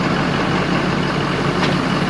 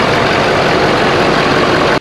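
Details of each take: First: 2011–2018 Ford F250 6.7L Power Stroke diesel at idle: constant rushing hiss over the diesel clatter as charge air escapes from the broken OEM cold-side intercooler pipe, before replacement with an aftermarket pipe. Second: 2011–2018 Ford F-250 6.7L Powerstroke diesel after replacing the failed OEM cold-side intercooler charge pipe with an aftermarket one: loud, steady idle with no whistle or hiss rising over it; intake sounds sealed and the truck idles normally.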